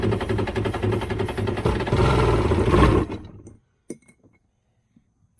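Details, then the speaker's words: Two-stroke jet ski running only on sprayed starting fluid: rough, uneven burbling for about three seconds that fades and dies, smoking; spark confirmed, owner suspects a fuel delivery problem, not confirmed. "uh so it runs we know it runs of course it's smoking because it's a two-stroke but i'm actually taking back what i said about the fuel issue i think it actually is a fuel issue now because i know we're getting spark"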